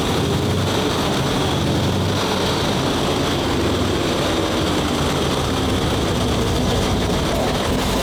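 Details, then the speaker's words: WWII tank radial petrol engine, turned over 55 turns by hand first, started on both magnetos with starter and booster coil: catches and settles into a deep, even, throbbing run with a distinctive note, no misses or knocks; running normally. "and it's one of the best sounding tanks in the museum. >> It's got a really distinctive engine note to it."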